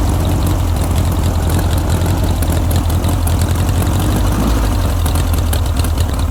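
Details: Barn-find 1967–68-ish air-cooled VW Empi IMP dune buggy, first run after revival: deep, steady flat-four rumble holding an even idle without hunting or misfires, running normally.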